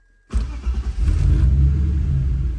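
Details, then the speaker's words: BMW E46 325ci M54B25 on Megasquirt MS3X, first start after fitting a custom coil driver board, cold at 63° coolant: catches quickly into a steady low rumble, then nearly dies; poor cold tune, normal for this car. "nice started up really good oh it's dying that's okay it's always ran bad at start up when it's cold we don't have it tuned very well for when it's cold"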